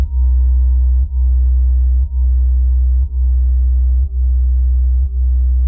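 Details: Used Klipsch R115SW subwoofer; deep low tone with a rattling buzz from the driver at certain frequencies once gain passes halfway, lessened with the driver upside down or pressed by hand; cause unknown.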